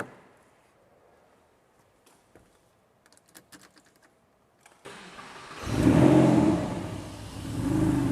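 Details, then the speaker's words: Porsche flat engine (Boxster/Cayman/911) restarted after replacing the PCV/CCV oil separator bellows that caused an air leak: revs swell and sag every second or two as fuel trims relearn from the previously enriched setting. Idle hunting during fuel trim relearn. "Donc là, immédiatement, vous entendez le régime qui fait ça parce que donc lui, il a compensé pour régler le moteur correctement, mais avec une prise d'air. Donc maintenant qu'il n'y a plus la prise d'air, on va avoir forcément une oscillation le temps que tout rentre dans l'ordre."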